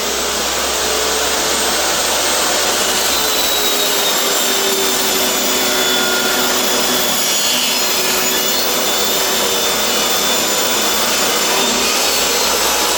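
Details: Restored used DeWalt DW744 job-site table saw making a test cut: a loud, steady whine and rasp of the blade through wood, even in pitch with no knocks or rattles. It cuts cleanly.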